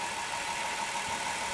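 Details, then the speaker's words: 1990 Ford van after repair, coolant topped off with no leaks; crankshaft pulley (harmonic balancer) wobbles slightly, said harmless to the serpentine belt: quiet, even idle hum with a faint steady tone, no ticking or squeal. Healthy idle. "So, what a difference, nice and quiet."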